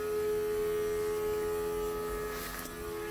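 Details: Holley Sniper EFI install with the return line completed. The inline gauge shows only about 6 psi with roughly a quarter tank, and fuel is not reaching the pump. The electric pump gives a steady drone with a fixed whine. Low fuel pressure.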